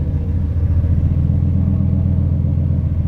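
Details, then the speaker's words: 1998 Lincoln Mark VIII, forged 4.6L 32-valve four-cam V8 with a brand-new turbo, first start with no coolant yet: deep, even idle burble with a steady low rumble and no knocks or ticks, making oil pressure; a smooth, normal idle. "I know no coolant in it and a brand new turbo so I can't do anything but it's making oil pressure and that feels fantastic I might have something here 8 sounds smooth"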